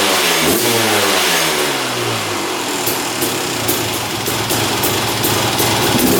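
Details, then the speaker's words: 2001 Honda CR250 two-stroke, after draining old fuel and refilling with fresh gas mixed 40:1. It revs up crisply and drops back cleanly with a steady ring-ding, running well. "Looks like it's working pretty good."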